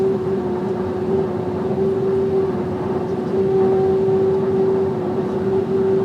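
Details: VW Amarok pickup cruising slightly above 120 km/h: a steady high whistle rides over road and engine rumble.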